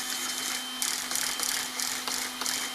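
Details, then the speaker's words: Hoonigan EX07 RC car after replacing the weak stock steering servo with an upgraded one: quick, crisp whirring bursts about every third of a second as the servo snaps side to side, much faster than the original, a healthy servo. "we can hear it kind of banging away really quick check out that much quicker"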